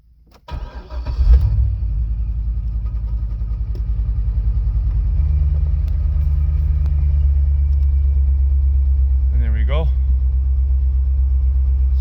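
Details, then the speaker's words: C5 Corvette Z06 first cold start after sitting, new key and boosted battery: catches quickly into steady, slightly uneven idle around 975 rpm with low puffing ticking; owner suspects exhaust leak; oil pressure and alternator good, check-engine light on. "runner sounds like an exhaust leak there you go cold got good boil pressure alternators good"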